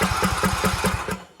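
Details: Craftsman T1700 lawn tractor, Briggs & Stratton engine, cranked during an inline spark tester check: even cranking pulses about five per second that never catch, then the starter stops. The ignition coil gives good spark, so fuel isn't reaching it. No start from a failed fuel shutoff solenoid.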